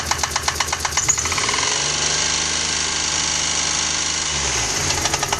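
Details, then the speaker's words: 1993 Geo Metro, 3-cylinder, 5-speed, air-conditioned, at first start-up: hard, uneven tapping about twice a second over a lumpy, shaking idle; not a rod but a plugged, oil-starved lifter that has killed one cylinder. "The noise is not a rod. It's a liquor that's plugged up. Not able to get any oil on it. So, it's killed that cylinder."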